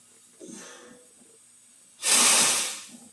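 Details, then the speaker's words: Tractor air system after a new air throttle was fitted, air line connected: a faint steady hiss, then a strong burst of escaping air; small air leak suspected at the fitting that required full disassembly. "यहाँ से हल्की सी सरसराहट की आवाज़ आ रही है। मुझे लगता है कि ये उसी फिटिंग की वजह से है जिसके लिए मुझे इसे पूरा खोलना पड़ा था।"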